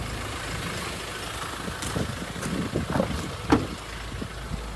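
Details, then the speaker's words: Ford Ranger 2.2 TDCi diesel, repaired, left running: low, soft, even idle rumble with a few stray clunks from around the truck; engine itself quiet, normal idle. "I've left it running, and as you can hear, it's so quiet now."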